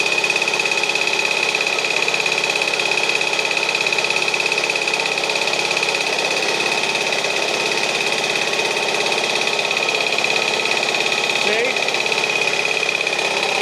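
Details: Restored 1952 US military DC generator, small two-stroke engine, started by alligator clips from a battery: steady, even buzzing run with a constant high whine, no misses or knocks; healthy.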